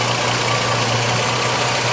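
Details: 2006 Jeep Liberty, transmission removed three times and torque converter replaced chasing a buzzing noise, restriction found in aftermarket trans cooler and bypassed: steady, even idle hum with no whine, buzz or fluctuation; normal idle.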